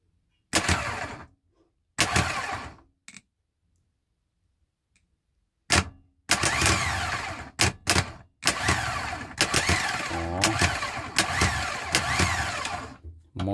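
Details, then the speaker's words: VW Crafter diesel starter after overhaul and tightening of a loose, partly melted terminal: a few quick crisp bursts then brisk, even continuous cranking, reacting instantly with good voltage; starter engages cleanly. "мощно мощно тыр кает Ну хоть моментально реагирует сразу так напруга хорошая"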